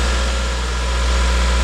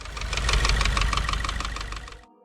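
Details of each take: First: 2016 Subaru WRX, FA20 engine, after owner retightened a pulley suspected loose as the cause of a new noise: warm-up idle has calmed, steady even idle with smooth low hum, no knocks, ticks or wandering speed; normal idle. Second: 2016 Subaru WRX FA20 engine idling after 6-7 miles of driving, possibly not fully warm; quick, even ticking knock fading as it settles, new noise, source unknown: engine knocking.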